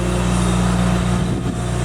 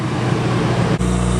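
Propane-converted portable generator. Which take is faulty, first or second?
second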